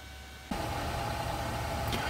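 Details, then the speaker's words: Power Mac G4 Cube with CNC autonomous fan controller: fan kicks on at about 89 degrees, soft airy rush with faint steady tone, barely running, no ticking or grinding; healthy. "well that fan just kicked on and i've been using the thermal gun on it here"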